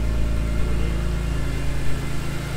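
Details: BMW E46 M3 on first startup after Vanos bulletproofing, valve adjustment, exhaust hub and new seals: a steady, even low idle rumble with no misses. The earlier ticking, attributed to the upper chain tensioner, is gone.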